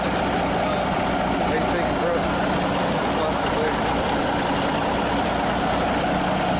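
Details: Cummins 350 Big Cam low-flow diesel in a Kenworth thought to be early-1990s, first start in years: a steady idle with an even, unchanging beat under background noise. Normal, settled idle.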